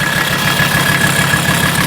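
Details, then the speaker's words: 1984 Mercedes 300D turbodiesel bought at auction listed as mechanical damage: heavy idle with a loud, regular clatter about seven times a second, smoking heavily; harsh knock, sounds horrible, cause not yet found. "boy she's smoking like a freight train wow headlights Corner lights yes of course she's loud"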